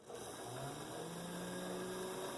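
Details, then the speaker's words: Athearn blue box SD45/GP35 model locomotive motor, tested after polishing the flywheels, run in reverse direction: it spins up to a smooth, steady whir with no lack-of-lubrication squeak. Normal. "i do not hear the lack of lubrication sound which is a good thing"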